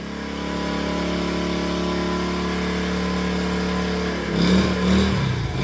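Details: 1970 Honda Trail 70 that sat for a while, after carburetor cleaning, cold start at 56°F on choke: small single putters evenly for four seconds, then blips up and settles; runs normally.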